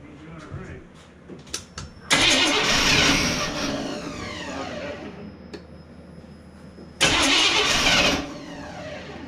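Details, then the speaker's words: 1987 K5 Blazer small-block V8 with TBI, first start after engine rebuild, injectors holding roughly 10-year-old ethanol fuel: two cranking bursts, each catches and roars briefly, then fades and dies; cranks but won't keep running. "all right so it's trying to run it just ain't got no"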